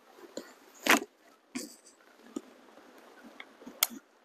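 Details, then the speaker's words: Winchester 1100S spring-piston air rifle after a soda-bottle sleeve tune inside the piston and around the spring guide and top hat: cocking is nearly silent, with soft clicks and one sharp click as the sear engages. "the first thing you'll notice is that it's silent when you [ __ ] it until you hear that little click when the Searing gauges so check this"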